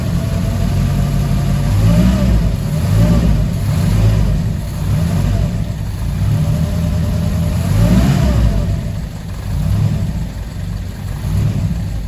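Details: Fiat 147 carbureted engine running after a new electric fuel pump replaced the mechanical one; steady low rumble with mild rises in speed, settling into an even idle, normal idle.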